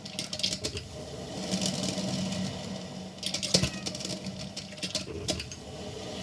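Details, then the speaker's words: Hamilton Beach stainless steel 12-cup electric percolator model 40614R heard from about 3 feet away during its roughly 8-minute brew; irregular light pattering and bubbling bursts over a soft hum, brewing normally. "This will go on for about 8 minutes. And then it's done, it shuts off."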